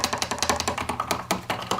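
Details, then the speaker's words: Polymoog synthesizer keyboard before rebuild: keys clack loudly with a hollow knock on each press because the key bushings are worn out or missing. "your key bushing is actually gone for this key and as you can hear I it's just horrible noisy but you can hear they're all noisy I mean just really really bad"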